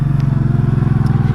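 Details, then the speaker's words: 1984 Honda Shadow VT700C V-twin with hydraulic valve adjusters, recorded while riding: steady beat with a light, fast ticking on each firing pulse; owner suspects worn hydraulic adjusters/noisy valves, not confirmed, running unaffected. "you can hear valve i think the valves are a little noisy on this thing"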